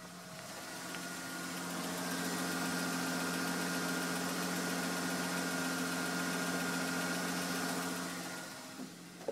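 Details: M52 six-cylinder at idle with an abnormal noise: even running with a steady whine and a faint regular tick about four per second on top; source unclear.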